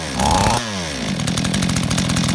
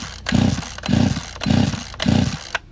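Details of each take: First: Chainsaw that had flooded with wet plug, carburetor found out of adjustment and needle possibly not holding: catches after a brief rev, then settles into a steady, even two-stroke buzz with no misfire; running normally. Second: Chainsaw with spark but wet plug, choke pulled and ignition on; four pulls about half a second apart, each a short sputtering burst that dies at once; flooded engine.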